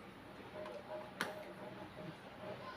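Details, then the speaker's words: Fujitsu fi-7460 A3 duplex scanner after repair of a broken mechanism that clacked and stopped: quiet, even paper-feed whir with light ticks and one sharp click, now running normally after 200+ test scans. "Vậy là sau hơn 3 tiếng đồng hồ kiểm tra và sửa chữa thì hiện tại bây giờ máy sẽ ok rồi các bạn"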